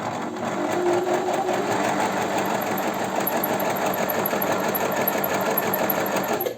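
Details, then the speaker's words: Janome 509 sewing machine, about 15 years old, running completely dry without lubrication: harsh rattle under each stroke with a thin high pulsing whistle, indicating maximum wear on all parts. "грохот и еще и свист а свист говорит о том Ну и гроха тоже свист просто еще подчеркивает неисправность машинка на сухую работает вообще просто физически на сухую"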